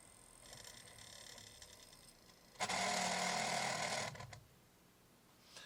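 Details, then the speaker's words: Samsung DVD-V5500 DVD/VCR combo with disc-reading fault, after spindle motor check: high fluttering chirp about four times a second while the disc spins, then drops away; owner suspects a laser focus issue, as discs are only sometimes recognized. "well that doesn't sound right"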